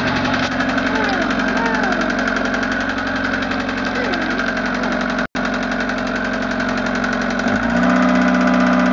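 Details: Westerbeke Four 60 15 HP diesel on a 33 ft Pearson sailboat, ambient about 75°F, hard starting: steady run with a light, even tap about four times a second; source unknown.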